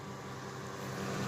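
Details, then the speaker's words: 2000 Ford F250 5.4L V8 automatic 4WD in reverse: under throttle the engine drone climbs steadily while the truck barely moves, as if stuck in park or backing up a heavy trailer, though the truck can be moved. A reverse problem in the automatic transmission is suspected. "it goes I mean it'll go and then it's like it's stuck in park or something but it's not stuck in part because you can move the truck"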